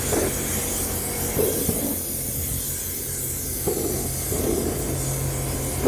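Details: Homemade Kwiky oil burner on compressed air: steady jet-like rushing roar with occasional pops and crackles, not lighting properly; owner suspects too much air pressure, around 40 psi suggested.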